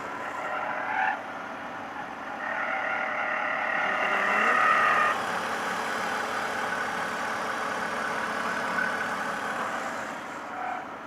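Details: BMW with engine running quietly: quick, fairly regular high chirping squeak about four per second; source not located.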